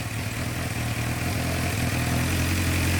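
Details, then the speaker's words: 2006-2007 Suzuki GSX-R 600 left outside for months, first start with airbox off, clutch in; lumpy stumbling uneven beat never settling into smooth idle; rough running, cause unconfirmed. "so clutch in and it runs it runs it's running really rough we have the air box off"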